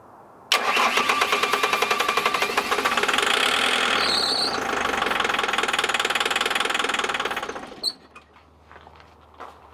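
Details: 2007 Bobcat S185 with Kubota V2003 turbo diesel, sabotaged: fast even cranking with starting fluid, almost catching then dying, pumping whitish smoke.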